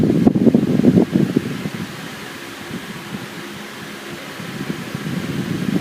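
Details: Camel PSIF-16 55W electric fan after repair of noisy spinning (worn shaft sanded, bushing and capacitor replaced): steady soft whir with even airflow hiss, no scraping or rattle once settled; fan spins smoothly.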